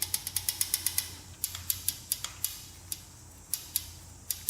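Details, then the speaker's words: 1977 Honda Z50 that won't start, engine stopped: sharp metallic clicks as the rocker is rocked by hand, valve very loose, clearance far above the 0.003 in intake spec, before adjustment. "see what those adjustments are and adjust those but you can see how loose they are in there you can hear the knocking"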